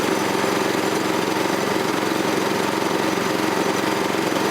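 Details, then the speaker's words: Troy-Bilt tiller with 6.5 HP 212cc Predator engine, running after spark plug replacement, new plug found not fully tightened: small single-cylinder chugs with steady, even beat, fairly quiet, no knocks, sounds unchanged from last year; normal running. "It's running though. Sounds good. Fairly quiet. Doesn't sound different from last year."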